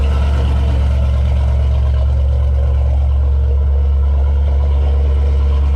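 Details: 1989 Chevy Caprice with LS swap V8 at cold idle: deep, steady rumble holding an even idle, no misfire, tick or hunting; sounds healthy.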